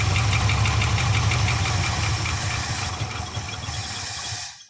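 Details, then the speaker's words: Abandoned 1975 Ford F500 rollback after 17 years in a field, no radiator, under throttle: an uneven thumping run that barely starts to take off, then sags, stumbles and dies; owner says it can't get enough fuel. "now can't get enough fuel i'll call that a success"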